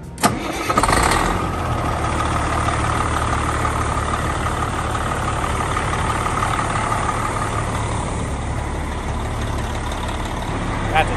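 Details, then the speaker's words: Bus conversion (MCI) diesel after engine swap, started from the start box: short crank, then catches at once and settles into a steady, even idle with a deep, unbroken rumble; normal start. "nice fire up right there"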